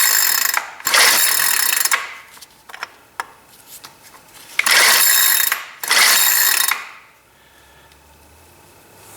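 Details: Free Cub Cadet CC4105 curved-shaft 4-cycle string trimmer: three raspy pull-cord bursts about two seconds apart, each fading with no firing; engine turns over but won't start.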